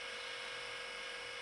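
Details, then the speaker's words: Battery charger cooling fan during a homemade diesel heater controller test, glow plug drawing 8.6 A. Steady hissing whirr with a rough, dry edge, never heard before; a worn fan bearing is suspected, not confirmed: rough fan noise. "oh right we're drawing 8.6 amps looks like the fan in my battery charger as uh developed a rough and nasty dryness"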